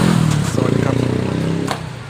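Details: Honda PCX scooter that showed dash lights but would not start; the fault was a blown fuse in the top row, right side. After fuse replacement it fires and revs cleanly, then settles smoothly with no misfire or clatter.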